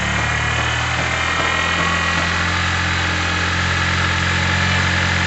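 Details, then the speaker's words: Yamaha TMAX 500 twin-carb scooter, cold with choke on after carburettor work: steady even idle, smooth low hum with no misses, surging or knocks; running very smoothly. "have a listen it's running smooth as anything very very smooth"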